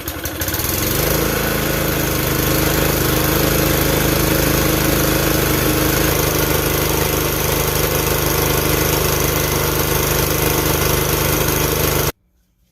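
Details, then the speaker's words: Campbell Hausfeld CE2000 5.5 HP gas air compressor: the engine settles into a steady loaded drone as the pump builds pressure. The unloader/diversion valve was set way too high, so pressure climbs until the safety valve acts. "It turns out apparently this diversion valve, somebody apparently messed with and set way too high. So this safety valve over here underneath this gauge is about to do its job."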